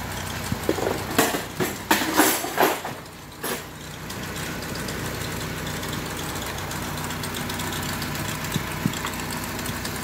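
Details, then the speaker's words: Honda with check engine light and misfire: uneven knocking bursts over rough idle, then it settles; misfire traced to a faulty or poorly seated ignition coil, described as fuel knock from unburnt fuel. "Okay sira yung isang ignition coil try muna natin to So pwede din kasing hindi na isaksak ng maayos to ka"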